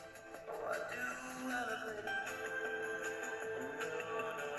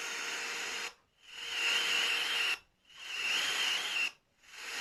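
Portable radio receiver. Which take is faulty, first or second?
second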